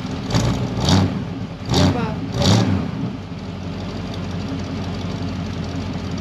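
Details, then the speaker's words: 1964 Ford Mustang (D-code V8) cold start during inspection: short crank, quick catch with a few revs, then a smooth, stable idle with no misses; starts and idles well. "tu vois la super bien démarrer les coûts pas tué blessure en ralenti toute la très stable et donc ça c'est plutôt bon"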